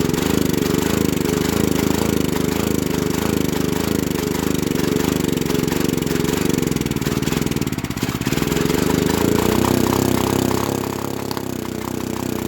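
Small engine running at a steady drone with some uneven moments; it keeps going only while fed starting fluid, pointing to a fuel-supply problem.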